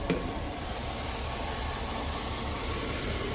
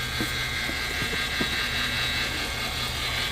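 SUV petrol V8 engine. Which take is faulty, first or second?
second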